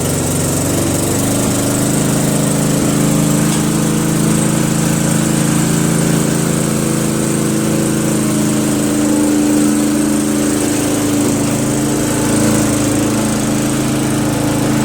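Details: Murray 40" LT widebody lawn tractor, 12.5HP Briggs flathead single, test drive around the block after fixing a sticky valve that caused zero psi compression: steady, even thump with constant pitch, no misses or stumbles; running great.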